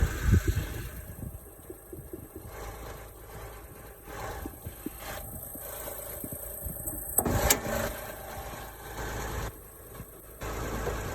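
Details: Honda Odyssey at idle: uneven low puffing and ticking over a rough idle with no steady rhythm; owner suspects an exhaust or vacuum leak, unconfirmed, and checks pressure, which reads fairly high.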